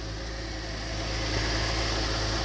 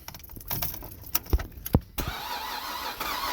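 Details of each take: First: 2007 Cadillac CTS 3.6 V6 base model that cranked but wouldn't start, after replacing the crankshaft position sensor. A smooth, even idle with a steady low hum and no misses or stumbles. The engine is running normally. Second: 2007 Cadillac CTS 3.6 V6 base: the starter spins the engine steadily for several seconds with no firing, then stops; crank-no-start from a failed crankshaft position sensor.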